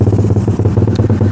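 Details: Suzuki Satria Fi150 fuel-injected motorcycle with stock specs fitted with an aftermarket racing exhaust: deep loud exhaust chugging unevenly and stuttering at light, slow throttle, lacking power; owner attributes the stutter to the racing exhaust.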